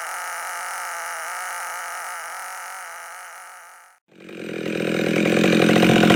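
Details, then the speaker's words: Husqvarna 572 chainsaw with pop-up piston, no base gasket, muffler mod, about 182 psi, still breaking in, cutting firewood: crisp high buzz, brief dip, climbs cleanly back; runs well, slightly rich from tune set for about 25 degrees. "actually it's running pretty good now it turns a little bit fat because I had it tuned for about 25 degrees"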